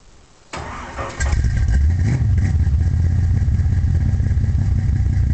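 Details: 1972 Chevy Nova small-block V8 with a solid lifter cam, Flowmaster exhaust and Powerglide transmission: it cranks, catches, then settles into a loping, uneven, lumpy idle at about three beats per second; rough idle, cause not confirmed.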